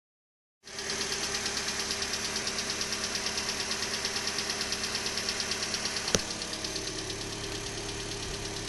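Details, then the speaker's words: 2012 Hyundai Elantra on a cold morning start: quick light ticking at about three per second over a steady idle, louder on the passenger side, lasting up to 5–10 minutes; cold-start engine ticking, cause unknown. "so this is the noise that it makes in the morning and it sometimes it does it as much as 5 or 10 minutes on initial startup"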